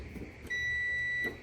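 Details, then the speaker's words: Maytag/Whirlpool/Kenmore dryer that won't start, start switch tested with a multimeter on the ohm setting while the button is pressed: clean, steady beep of about 0.75 s over quiet room noise; continuity present, so the start switch is good. "If it's beeping, so you're good with the start button, so you don't need to do anything with this one."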